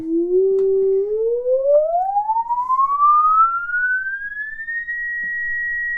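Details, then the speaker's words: 1937 Silvertone Model 4486 console radio: the output transformer and permanent-magnet speaker are driven by an audio generator sweeping up toward 20 kHz and beyond. A clean single tone rises smoothly without buzz or rattle; speaker and transformer sound healthy. "All the way up to 20K. There's 20K coming all the way up to, I can still hear it, 60K, 70K, 80K, and I quit hearing it from there."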